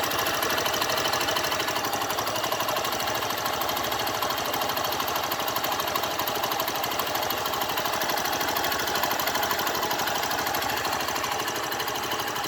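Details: 2012 fuel-injected Honda Fan 150 motorcycle at idle: fast light ticking about three per second over the engine; abnormal mechanical noise of unknown cause.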